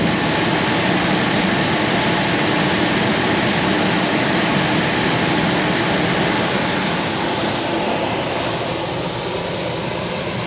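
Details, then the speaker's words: Coleman Presidential II furnace in a mobile home, after cleaning out a seized motor: even airy rush with smooth hum, no knocks or squeals; cycles with thermostat, blower running normally after repair. "Okay, that little motor back there, it was all seized up and needed cleaned out, but it's working good now. I just tested it, turned the thermostat off, and she shut down, and then it kicked back on when I turned the thermostat back up."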